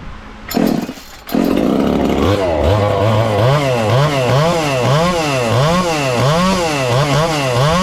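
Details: Ported little 2375 chainsaw with carb and ignition-timing mods, running straight methanol: revs up and surges rhythmically about once a second, pitch rising and falling. Still lean with the carb tuned as rich as it goes; the carb needs drilling out.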